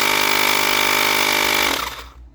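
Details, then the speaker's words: Portable mini tire-inflator air compressor with a new battery and board; the real fault was a loose contact in a cable, and the battery reads 100%. Steady high motor buzz with fast pump chatter for under two seconds; runs normally. "Tá vendo? Tá funcionando, tá, gente, com a nossa bateria nova, com placa placa nova."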